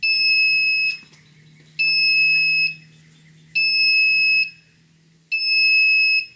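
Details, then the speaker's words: Haswing Protruar 1.0 brushless 12V 65lb-thrust trolling motor modified for a wired remote: long, high piercing beeps repeat about every two seconds, the throttle-not-centered alarm when the potentiometer isn't zeroed; three beeps confirm centered. "now what I'm going to demonstrate is when the pot isn't zeroed out for your motor you're going to get the alarm beep saying that it's not centered just so you know what it will sound like and you know you have to dial in your pot better"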